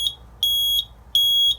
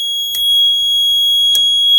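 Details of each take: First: RP1002 agent release fire alarm panel: shrill high beep pulsing evenly, about 0.4 s on and 0.35 s off, a trouble signal from holding abort after agent discharge. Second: 1998 agent release (FM200 suppression) fire alarm panel activated by pull station: steady high-pitched alarm tone with two sharp relay clicks about 1.2 seconds apart.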